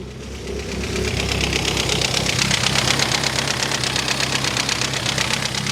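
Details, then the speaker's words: Cheap neglected Mini Cooper S, first start after only charging the battery, with loose rocker cover bolts: very loud exhaust and a lumpy idle that stumbles irregularly about twice a second; sounds like a cylinder misfiring. "Exhaust is very loud though. Definitely sounds like it's misfiring as well."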